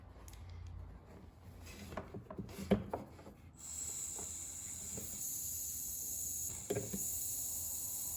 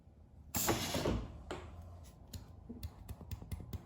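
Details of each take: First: 1968-72 Corvette C3 windshield wiper door vacuum relay valve being blown into by mouth. A few clicks, then a steady high airy hiss as air escapes, showing a vacuum leak inside the relay valve, which needs replacing. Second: 1968–72 Corvette C3 wiper door and pop-up headlight vacuum system after kit install, held 5 minutes; a short rush of air, then creaks and clicks as the wiper door moves on stored vacuum, so no leak.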